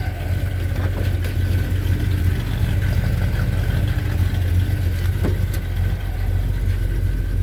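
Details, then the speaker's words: 1978 Chevy C10 truck, cold after sitting half a day or more: deep, even rumble with mild swells as revs rise, no knocks or misfires; healthy. "anyway it was it was cold it's been sitting here half a day or more maybe more"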